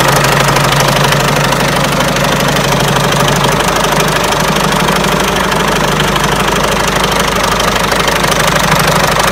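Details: Peugeot 307 1.6 90 hp engine at idle: rapid fairly regular knock about three per second that follows engine speed; owner asks where the engine knock comes from, source unknown.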